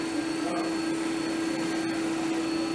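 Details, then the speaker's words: 3-phase motor on a mechanical trainer retrofitted with VFD, started with green push button via contactor control: steady mid-pitched hum with constant tone, no knocks or rubbing; normal running, red button stops it. "and the mahdis that's running I can see I push on the red button stops the motor so control here trip the contactor and vice versa"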